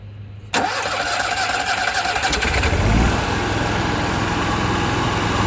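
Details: New Onan 5.5K propane (LP) generator in a 2000 Newmar Kountry Aire 5th wheel, first start after install with exhaust and propane line temporarily hooked up: quiet, then a quick catch into a steady, even run with no misses; healthy start.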